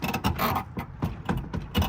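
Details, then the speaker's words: Chevrolet 3500 work truck door with badly bent, worn bottom hinge pin (new pins to fit): door sags and rubs, leaving shiny contact marks, won't stay shut; short uneven creaks and rubbing groans as door moves, hinge creak. "Well, you shouldn't be able to take the door. It shouldn't make that noise, for starters."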